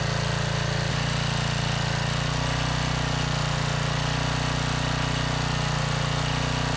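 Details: Trash-salvaged 5000 watt Generac generator with new carburetor, kill switch wiring just fixed (switch had been upside down): single-cylinder holds a loud steady drone at constant pitch after one early shift; running normally.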